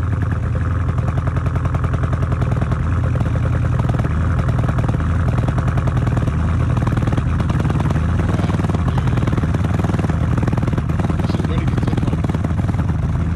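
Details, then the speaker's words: 2018 Dodge Charger R/T 5.7 L V8 after long storage: deep, raw unmuffled bark with a fast low thumping pulse at start-up; owner suspects the muffler and resonator were deleted, possibly straight-piped. "yeah i'm pretty sure this car got a muffler delete because the way this [ __ ] was sounding it probably got a muffler resonator probably got all that [ __ ] cut off probably straight pipe"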